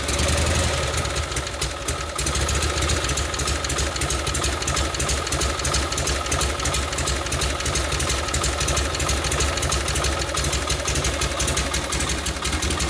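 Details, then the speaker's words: 1952 Harley panhead FL bobber after a Linkert carb rebuild, idle lowered after idling too fast in the heat while riding; even loping V-twin beat at about three pulses a second, no misses; normal idle. "I had to adjust it while I was writing because it was idling a little too fast in the heat"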